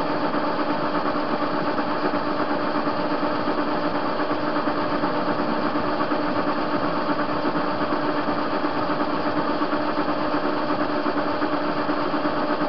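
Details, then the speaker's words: ТВ-16 lathe turning a hinge pin from 21 mm down to 11 mm; bed unstable; steady motor hum with a light regular knock near 167 a minute as the work turns, from play in the chuck. "Станина неустойчивая, и люфт в патроне есть. Слышно стучит."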